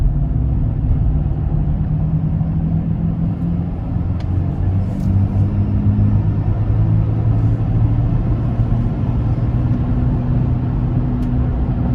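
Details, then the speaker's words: 2004 Chevy Trailblazer LS EXT 4x4 4.2L six-cylinder driving on spare tire: low hum and slight vibration changing with road speed, tire ruled out; front passenger wheel hub bearing suspected, car also pulls right; hubs then replaced. "okay so that test driving session just proved to me that it's definitely not the tire with the hum and the slight vibration changing with the speed of the vehicle i'm really suspecting that it is the wheel hub"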